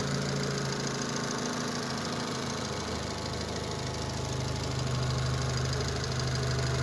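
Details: Daewoo Matiz fitted with a Chevrolet Spark 1.2-litre petrol engine, shown at a workshop after the swap: smooth, even hum at a steady idle, with no knocking, vibration, shaking or stumbles.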